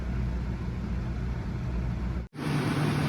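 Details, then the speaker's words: Nissan VG33 V6 first start after intake plenum gasket, coolant hose, spark plug and distributor work, injectors primed: low, even idle hum with no misses or knocks; runs smoothly but a service engine soon light is on, cause unknown. "That sounds good. But I got a service engine soon light, so we'll see what I forgot to plug in."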